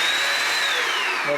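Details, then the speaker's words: Bissell Symphony 1132 vacuum and steam mop, vacuum motor running: strong steady high-pitched whine with even airflow, no rattles or grinding; vacuum works fine while only the steam side had failed, suspected steam pump. "so hooked it in and I'll just show you that the vacuum works great"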